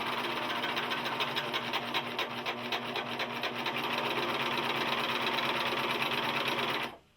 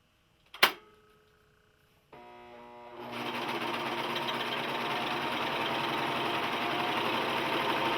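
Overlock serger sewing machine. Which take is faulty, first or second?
first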